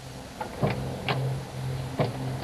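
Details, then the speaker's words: Zeta cranked after ten years' storage: starter labours with slow, uneven compression strokes, about two a second, engine not catching; cranking slowly, battery not yet checked. "It's not turning over quick, but it's turning There. over."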